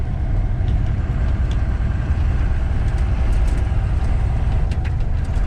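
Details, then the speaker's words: 5.9 Cummins diesel in truck pulling under load on the road: deep, even rumble with road noise behind, no knocks or misses, strong low-end pull for a small-displacement engine; sounds healthy. "like this 5/9 Cummins in this thing I tell you that the low-end grunt you know I think just pools for a little little motor"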